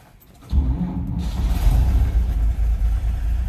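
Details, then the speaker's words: 1949 GMC 5-window pickup, floor push-starter: short crank, quick catch, deep even rumble settling immediately; easy normal cold start. "easily it starts and of course you got your choke in your throttle up there"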